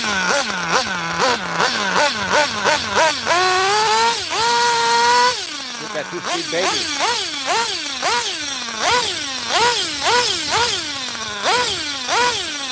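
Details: 27-year-old vintage nitro RC car running after earlier bogging (a new plug was suggested, failsafe not set): engine snaps up and falls back cleanly through repeated rev bursts, crisp with no bogging; the tuning richens up the bottom end.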